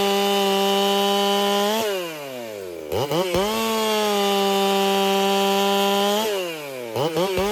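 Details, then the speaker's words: Racing-build chainsaw, either a Dolmar 7900 or a Holtzfforma 395, tuned noticeably fatter, which the owner fears may cost power. Crisp high-revving two-stroke scream drops off and snaps back cleanly with no stumble or bog; normal running. "So definitely a lot fatter. Maybe that wasn't the best idea. That could cause me to lose power."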